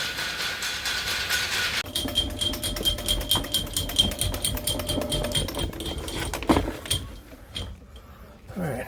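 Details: Drain cleaning machine cable spinning in a line; rapid uneven ticking and scraping over the machine's whine as the cable catches on the clog being worked.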